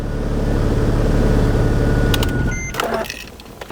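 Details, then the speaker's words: Wrecked 2005 Mercedes E320 CDI diesel, run briefly with no coolant to test whether it runs: an even, smooth idle for a couple of seconds with no knocks or roughness, then shut off; the engine sounds healthy. "Wow, it actually came alive. The engine's all right. And it sounds good."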